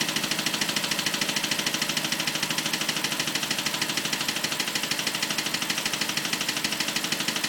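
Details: BMW 545 at idle: fast, even ticking, roughly three per second, with a sharp, bright edge rides over the idle; clicking noise, cause unknown.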